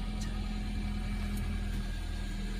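Smooth, even idle with a steady low hum and no squeal or chirp from the belt; engine sounds healthy.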